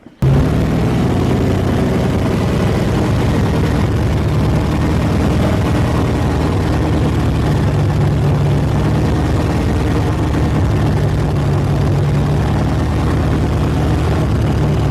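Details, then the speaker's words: V8 "Jack Black" after a valve adjustment (valves suspected too tight), still on EFI: deep, loud idle that lopes and wavers unevenly instead of holding a smooth beat; rough idle persists, cause not pinned down, Edelbrock carb swap planned next. "all right we adjusted the valves and that didn't do quite as much as we were hoping it was still kind of idling like crap"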